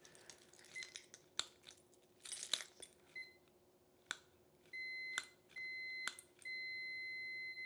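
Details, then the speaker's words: Ignition switch for a 1968 Land Rover Series 2A, negative earth, tested with a multimeter after cleaning the contacts: probe clicks, then clean steady continuity beep reading zero ohms, where before cleaning the beep was intermittent; switch works. "Zero ohm. So it works."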